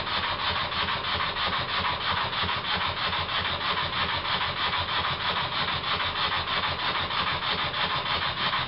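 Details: Very old Stuart S50 steam plant engine, reassembled with a new valve rod and valve timing set fairly accurately. Crisp, regular exhaust puffs at about three per second with no stumbles. Normal running with plenty of power.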